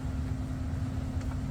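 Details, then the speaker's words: Ryobi leaf blower that suddenly stopped working: steady low drone with no airflow building, motor hums but struggles to spin as if bogged down; owner suspects something inside came loose, cause unconfirmed. "the thing is this thing just stopped working today just out of the blue stop working um it sounded like it was trying to push but it couldn't"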